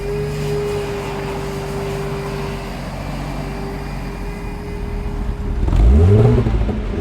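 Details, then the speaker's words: 1997 Jaguar XJ6 X300 XJ Sport 3.2 manual after crankshaft position sensor replacement, driving home: steady even engine hum rising smoothly in pitch as the car pulls away, no knocks or misfires; running healthy. "I gave my Ms the privilege of driving her home plays like a kitten"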